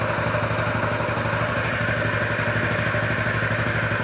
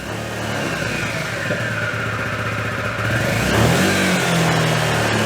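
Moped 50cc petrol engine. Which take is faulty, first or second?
second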